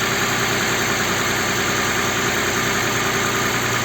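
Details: Audi Q7 3.6 FSI VR6 with a knock during warm-up, start after replacing the timing chain kit, oil pump and flushed hydraulic lifters: smooth quiet idle, even hum, no ticking or rattle; normal idle.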